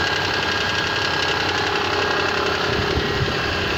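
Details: Mitsubishi Pajero with the 6G75 engine, cold idle: faint, uneven tapping about twice a second rides over the idle; an unexplained knock whose source can't be pinned down by ear.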